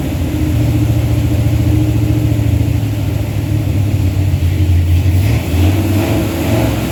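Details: Truck with a 360 Mopar LA V8 and a Holley double-pumper carb, idle turned up, vacuum gauge attached: heavy, lumpy rumble at high idle, dipping as it tries to settle; stalls below about 1,500 rpm. Vacuum leak or carb suspected, unconfirmed.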